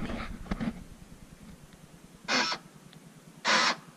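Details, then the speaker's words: Cheap Jeep after three months of ownership, door locks operated: two short, harsh goose-like honking bursts about a second apart. Owner suspects stripped door lock actuators; the doors lock only sometimes, after several presses. "that's interesting that sounds like a goose that's what my kids call it they said it sounds like a goose honking but I think the door lock actuators are stripped in there"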